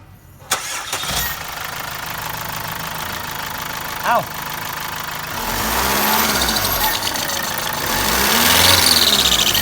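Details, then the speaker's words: Chevrolet Captiva C140 diesel idling with the front accessory belt removed, so no alternator, pulleys, power steering pump or A/C compressor driven; heard from the top of the engine, the abnormal noise persists and continues as it revs. "สายพานหน้าเครื่องถอดออกแล้วนะครับไม่มีสายพานไปขับพวกไดชาร์จพวกลูกรอกปั๊มพาวเวอร์คอมแอร์อะไรต่างๆแล้วนะครับไม่มีแล้วก็เสียงยังดังอยู่ครับ"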